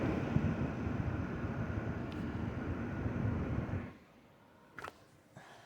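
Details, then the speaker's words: Zotac RTX 4090 AMP Edition graphics card fans, phone held near the card, fan speed turned up to 60 percent: steady even airy whoosh at constant pitch, no rattles or ticking, cutting off cleanly; normal fan noise, audible from afar only above 50 percent. "when the fans ramp up I mean you can hear something but not from like far away you know what I mean unless it's like over 50 percent"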